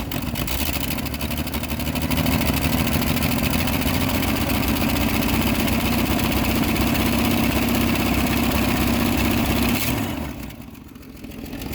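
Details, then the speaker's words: 1966 Mustang straight-six with 3-speed automatic, not running well: idles and revs a little with a rapid puffing tick from an exhaust leak. "Now she's got a bit of an exhaust leak, and she's not running super great. You can hear the exhaust leak, but straight six."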